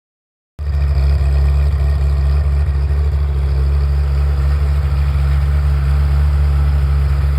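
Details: Ferrari F355 engine after warm-up, normal condition: deep, steady rumble, even throughout with no ticks or misses; clean, settled normal warm idle.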